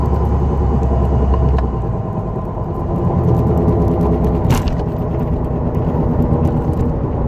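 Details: 2004 Dodge Neon SRT4 while driving: low steady drone under the road rumble that holds with road speed, attributed to a bad wheel bearing.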